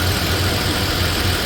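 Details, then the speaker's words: Third-generation Toyota Tacoma after an oil change, idling five minutes in cool weather. Smooth, even, quiet idle; the earlier tick is gone, with maybe a slight injector tick. "She's purring like a kitten. I mean, I don't know if you can tell on video, but"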